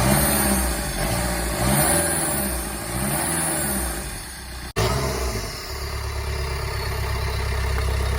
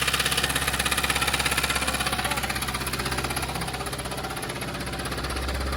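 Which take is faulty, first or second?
second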